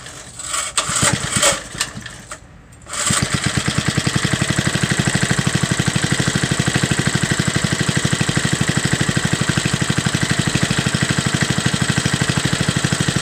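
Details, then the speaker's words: Front-tine tiller with old Briggs & Stratton, cold start, run last week: a few pulls, then catches and settles into an even, crisp single-cylinder beat with no misses; well kept, runs smoothly. "so that thing runs really smooth you know it's amazing that these older briggs and strattons that you know they're it's tripping but it's amazing that these old engines they just run so well"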